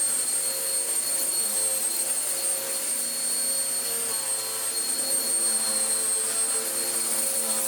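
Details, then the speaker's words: Vax Power U84 vacuum after its off-centre belt problem, with the brush roll removed and refitted and a new belt fitted. Steady, even high motor whine with no rubbing or slapping; belt and brush running normally. "So far, so okay. Whoa. I think just removing it and putting it back together has solved it"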